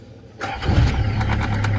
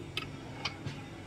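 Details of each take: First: Nissan Safari (Patrol) starting after starter repair (cleaned, new Bendix drive and solenoid; worn bearing, possible flood damage): short crank, catches almost at once into smooth low idle, previously hard starting; normal quick start. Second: Nissan Patrol (Safari) hard to start: three sharp clicks in quick succession instead of one firm click; starter later found water-flooded and rusted.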